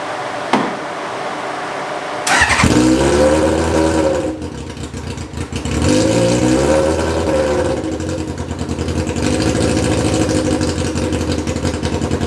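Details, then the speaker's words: Motorbike-engine-swapped Reliant fired up after filling the cooling system with water and tightening the leaking bottom radiator hose: starter whirrs, engine catches and revs, then settles into a steady, even, fast-ticking idle while warming up, running healthy. "So I think we're going to fire it up and get it warmed up and see how it's getting on."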